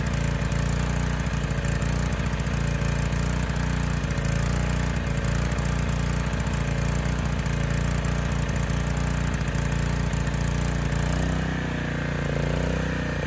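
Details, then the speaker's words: Honda EG1400x generator with its air filter refitted: steady single-cylinder drone with a slightly loping, uneven beat that picks up near the end; running rich and a touch slow. "started second pull and sounded good at least for about a minute but i could tell it was running rich"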